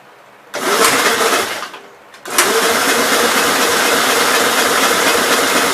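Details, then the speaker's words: 1957 SR Gravely single-cylinder after top-end rebuild with 15-over rings, cranking in two harsh bursts and sputtering without catching; owner smells no gas and thinks carbon is under the exhaust valve, then concludes valves needed adjusting (zero clearance). "i don't really smell any gas so maybe it's not getting gas on sounds like there's carbon under the exhaust valve"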